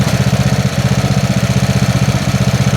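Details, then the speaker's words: Snapper SR-Series mower with 10HP Briggs & Stratton single-cylinder engine, stored 10 years, on an Amazon aftermarket carburetor with a 30-thousandths jet, full choke: steady thump about four beats a second with occasional skipped beats; intermittent miss, needs tuning. "Missing over there. It's not backfiring from here. I heard it missing over there."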